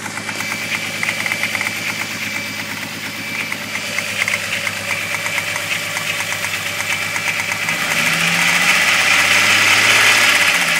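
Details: 12-valve VR6 at idle: a sharp, even tapping about three per second rides over the idle and grows louder toward the end; rod knock suspected, possibly from the bottom end.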